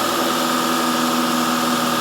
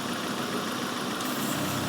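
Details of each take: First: Engine held at raised speed during a vacuum gauge test (idle 19, dipping slightly when held) hums smoothly and evenly with a steady tone, no misses or surging; normal running. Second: Engine idling around 800–900 rpm with a vacuum leak introduced during a vacuum gauge demonstration: uneven, laboured idle with revs sagging and struggling, as the leak lets in atmospheric pressure and upsets the mixture.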